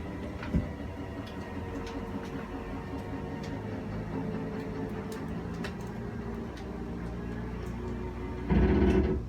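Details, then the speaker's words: 2019 Forest River Wildwood 37BHSS2Q travel trailer, slide-out extending with the wall control held: low, steady motor drone, then a short burst of motor clicks near the end as the slide reaches full extension, which is normal. "so you just press and hold out for your slide it'll make its way out once that slide is fully extended you'll just hear some clicks from the motors letting you know they've reached their full extension"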